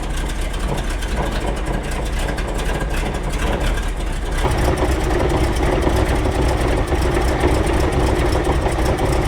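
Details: Saladin armoured scout car, Rolls-Royce B-series 5.6 L eight-cylinder, cold workshop at -6°C: lumpy uneven idle rumble that shifts as plug leads are pulled to test ignition points, suspected misfire, not confirmed.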